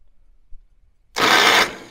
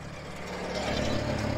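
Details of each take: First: International 424 tractor rescue, starting spray tried: two short half-second starter whirs about 1.7 seconds apart without cranking the engine; starter won't engage, no fire. Cause unconfirmed. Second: International 424 tractor at its first start after being brought home, idling with a steady, even low drone and no knocks or misses; the owner says it's a good running little machine.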